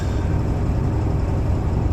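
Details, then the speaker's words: 7.3 Powerstroke diesel after injector shimming work, with an injector possibly left unplugged: deep, uneven, lumpy idle with an irregular stumble and shake, misfiring with a check-engine light on; it ran fine before. "let's see if you can hear the truck how rough it's running it has been there's literally shaking right now and"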